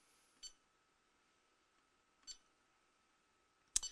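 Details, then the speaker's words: Mingda Magician X 3D printer touchscreen: short high beeps per press, last press gives two quick beeps; touches likely not debounced, so taps sometimes register twice. "clicking here sometimes you'll hear double taps and i think that's the problem that with this interface is they don't de-balance those touches you can hear it sometimes it's hitting it twice sometimes it's hitting it once"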